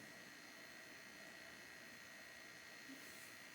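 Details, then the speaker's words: Heathkit GR-91 receiver powered up via bulb limiter, then bulb switched out to full line voltage: steady even hiss with faint high whistle, no crackle or hum, noise got louder; amplifier working, current about 154 mA; normal background hiss. "the noise got louder that's a good sign it means the amplifier at least is working and putting out some noise"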